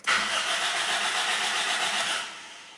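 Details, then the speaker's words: Car cranked on the key: the starter spins steadily for about two seconds but the engine never catches. It won't start because the fuel tank is empty. "when I rotate that key in that way there is the sound this utility and it means the engine is trying to start but no any start"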